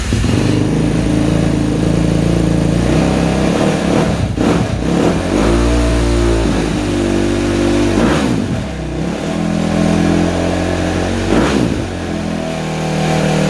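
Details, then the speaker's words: Suzuki RMZ 250 previously wouldn't start; after switching the cams around and re-timing, the single idles then blips up and down cleanly with no misfire or knock; throttle still feels bad; normal running and revving. "Oh. Well, it runs. I'll put it back together tomorrow and test drive it."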